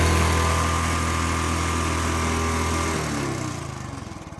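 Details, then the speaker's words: Royal Enfield Bullet 350cc single, kick-started cold after standing a month and a half in winter: steady even thumping idle about three seconds, then beat slows and dies as it shuts off; healthy. "अभी ये मैंने start कर दी है। देख सकते हो आप ये इसकी आवाज है 350 सीc वाले इंजन की आवाज"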